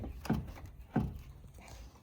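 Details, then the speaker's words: 1989 Toyota Celica GTS on jack, passenger front wheel rocked by hand before strut replacement: two dull clunks about 0.7 s apart, unlike the firm driver side; front suspension looseness, owner suspects a broken piece, unconfirmed. "Passenger side, this is where you know you have an issue on the passenger side."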